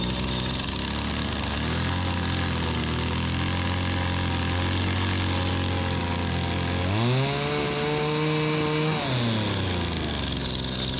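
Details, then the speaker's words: Stihl FS85 two-stroke hedge trimmer, freshly fueled and primed: rough uneven idle, then two-second climb to high revs that sags back instead of holding. "all right as you can tell we got it fired up but you see the it was running Full Throttle then it would come down and it would cut off"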